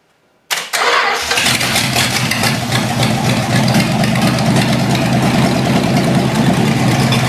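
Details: Long-sitting 318 engine with a junked carburetor, gas poured into the carb, starter jumped directly from the battery: a short crank, then an uneven idle. It fires but struggles to keep running.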